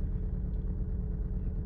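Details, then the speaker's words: Mk IV VW Golf with juddering and malfunction lamp lit, at idle after start-up: deep lumpy idle with irregular stumbles, a very severe misfire traced to a failing ignition coil. "so quite clearly that feels like a very very severe misfire"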